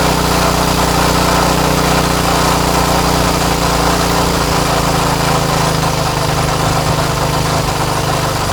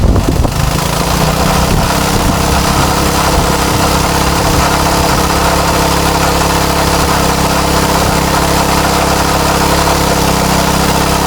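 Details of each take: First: Craftsman tiller with Tecumseh Eager-1 engine after repair, no tachometer available: steady even running with a slightly hurried buzzy pitch and no surging; low speed sounds a little high and is being adjusted, engine speed set slightly too high. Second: Craftsman tiller with a Tecumseh Eager-1 engine: a steady, even drone that sounds pretty good, though high speed seems a little high. Normal running.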